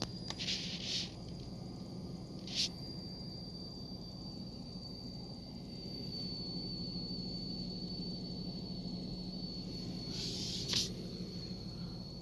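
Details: Nissan 350Z idling: thin, steady high-pitched tone with a few brief chirps that seems to come from the speakers with the stereo off; cause unknown.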